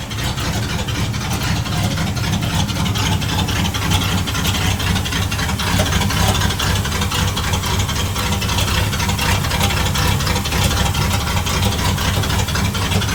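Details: Loud, rough low rumble with an uneven underlying tapping from a running 1960 Dodge D100 engine with a cam; still making noise, internal noise present, cause not pinned down.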